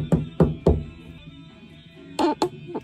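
Knuckle taps come back dull and hollow instead of a solid click; the tile has lost its bond to the backing.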